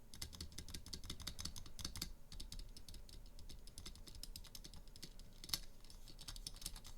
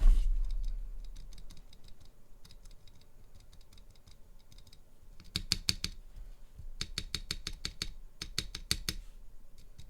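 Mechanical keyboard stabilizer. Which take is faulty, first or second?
first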